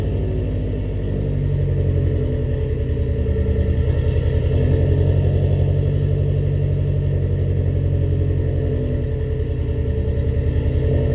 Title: first start up after rebuilding the heads